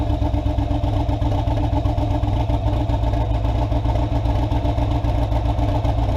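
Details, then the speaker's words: Car "Ghost" after its problem was traced to a pushrod and fixed, warm engine: a deep, steady idle rumble with an even beat and no misses or knocks; it earlier sounded a little rough. Normal idle. "looks like everything's running good Friday through our club other than that I think this thing's doing great"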